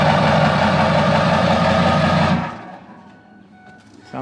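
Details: Ford 7.3 Powerstroke diesel, started right after a 5k service with new fuel filters, fuel system priming and an oil change. It settles into a steady, even clatter at idle for about two seconds, then shuts off cleanly, with no leaks and a healthy sound.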